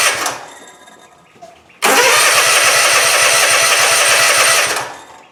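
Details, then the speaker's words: Cub Cadet Ultima ZT2 zero-turn mower, Kawasaki engine, dry fuel system with new filter, starting fluid used; steady fast cranking about 3.5 turns a second that never catches: cranks but no fuel delivery, fuel pump suspected. "All right. It wants to Don't think we got any fuel there yet."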